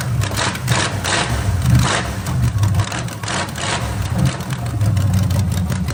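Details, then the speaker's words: 1987 Camaro Z28 or 1985 Monte Carlo, long-sitting, carburetor just primed with fresh fuel, mufflers ripped off: loud, raw, open-exhaust rumble surging with each throttle blip. "hit it again guess there's no Mufflers on this one wow that's right they got ripped off remember"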